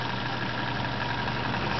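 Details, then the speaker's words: 1990s Toastmaster box fan, restored with a replacement motor: steady hum with a dull scraping rub that occurs on high, medium and low, and it doesn't reach full speed; owner suspects bearings, loose rotor, blade set or cracked hub. "medium low just scrapes I don't know if it's the bearings or the rer loose but it scrapes and it doesn't run at full speed"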